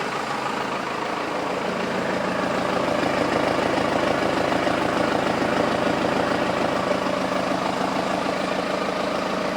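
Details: 1992 Toyota Pickup 4x4, originally V6, now swapped to a Cummins 4BT turbo diesel with an automatic and a straight axle: smooth, regular four-cylinder diesel clatter at an even idle with no knocks or misses. The truck runs well with good power; it puffs a little black smoke.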